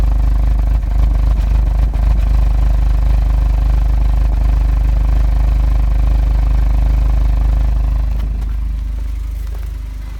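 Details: Engine idles rough with an uneven, lumpy beat, possible misfire; began right after full service (oil, filter, DSG oil and filter, water pump, pulleys, drive belt), codes P000A then P0341, and P3008 after camshaft sensor replacement.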